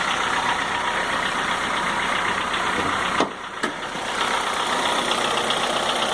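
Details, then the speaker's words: Honda Fit 1.4 LXL 2004 petrol CVT at warm idle: loud constant diesel-like clatter, much quieter when cold and worse once warm; cause not pinned down, owner suspects valve clearance. "então o barulho pode ser que seja um pouco alto devido a isso mas eu acredito que não seja só isso porque o barulho está realmente muito alto então aí eu fico um barulho semelhante a um motor diesel"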